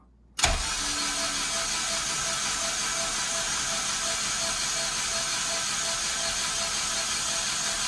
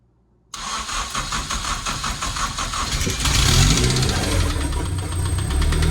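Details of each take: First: Honda K24 engine chasing a knock, cranked with spark plugs out to build oil pressure (about 20 psi); even steady starter whirr, no compression pulses, knocks or scrapes; owner suspects tune causing VTC gear rattle. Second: Honda K24 engine started after plugs refitted: cranks, catches, rough idle with repetitive knock seemingly from behind the timing cover; VTC gear rattle from tune ruled out, cause not found.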